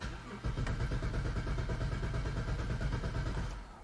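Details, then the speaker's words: 2010 BMW 535i xDrive wagon (E61), auction non-runner, after clearing battery-related codes: steady starter cranking about three beats a second, never catches, no new fault codes, rail pressure while cranking too low (1200); crank no-start. "it does not let's see if it threw some more codes though read codes no fault codes detected liar"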